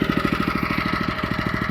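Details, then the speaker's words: Small single-cylinder engine on a lawn scarifier during autumn scarifying: even thumping about eleven beats a second, sagging briefly as built-up thatch releases and loads it; engine bogging down. "and then what happens is all of a sudden it releases it massive and you can hear the engine bogging down."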